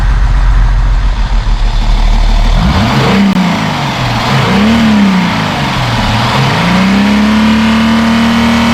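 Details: 1971 Mercedes-Benz 280 SE (W108) after its mechanical fuel injectors were cleaned and bench-tested: starts and settles to steady even idle, smooth throttle blips, no missing; a little smoke, possibly slightly rich; sounds good.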